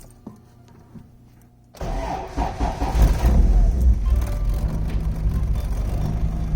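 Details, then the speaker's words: Car with a replacement alternator belt that still feels loose and a washer shimming the crooked alternator, on cold start: it cranks and catches, then a faint thin belt squeal rides over the rough cold idle. "I already hear it squeaking. So yeah, it ain't make no difference."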